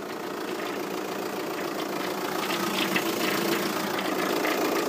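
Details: VW Passat 3C 2.0 TDI diesel at idle: even clatter with a faint rhythmic tick about three or four per second on top; owner asks where it comes from, source unclear.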